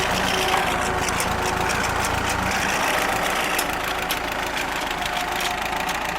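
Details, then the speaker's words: Ford tractor just rebuilt, idling in first (low) gear through the combination transmission during a low-speed test: low, steady idle under light load, no knocks or misses; normal. "that's with the uh the combo transmission and low gear which dramatically slows slows the tractor down"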